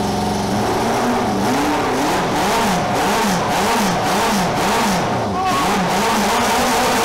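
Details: Café scrambler motorcycle running for the first time in 21 years after a carb rebuild and rewiring: revs swing up and down in repeated blips with an uneven, stumbling beat. Strange misfire; owner suspects flooding or fuel not yet through, unconfirmed.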